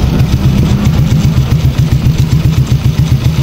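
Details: Honda Wave 100 motorcycle, sound check after repairing its noise and leak: the small engine idles with a steady, low putter and no rattle or whine.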